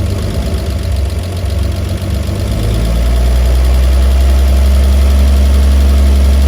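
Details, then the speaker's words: 1950 Chevy 3100 six-cylinder, first start in over 35 years after getting spark and cleaning plugs; fires evenly at idle and picks up smoothly with no misses, though worn points make it shut down after a few minutes. "So there we have it. The old Chevy does run."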